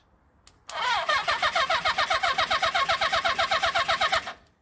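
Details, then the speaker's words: Rebuilt 1975 Honda CB400 Four engine, first start after the rebuild, turned on the starter with no fuel and no spark connected; even, steady cranking at about four beats a second with no knocks or grinding; starter turns the engine cleanly. "well that actually sounds quite good it sounds like it runs so it start to pulls it quite nicy"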